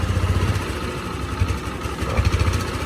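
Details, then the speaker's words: Italian Honda SH 150i scooter after a rebuild following coolant loss and overheating: piston, rings, carefully adjusted cam and rocker, injector cleaned. Low, soft single-cylinder idle with only a light injector tick, no valve clatter. Normal idle. "Rất là im nha anh em, mặc dù giờ này là ban đêm á, ban đêm là nó im lắm á, chứ ban ngày là nó im nữa. Chỉ nghe tiếng bếp phun hả, cam cò mình chỉnh kỹ lắm."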